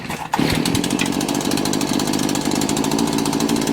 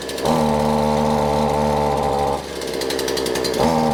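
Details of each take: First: Two-stroke weed eater (string trimmer) cold start with switch on, primer primed and full choke; a few fast pulls, then it catches and buzzes steadily, slightly ragged on choke; normal cold start. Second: Cold two-stroke weed eater just started on full choke after priming; buzzy note sags and drops off when throttled, then slowly recovers; bogging because not warmed up, possibly fuel but most likely cold.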